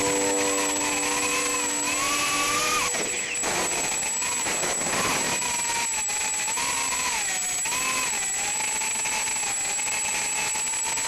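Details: Mobius Mini camera on 130 picnicquads brushless quad, 1104 4000KV motors, RX2535 props, 450mAh 80C battery; whining motors rise and fall with throttle with a rough, gritty edge; bad bearing in one motor.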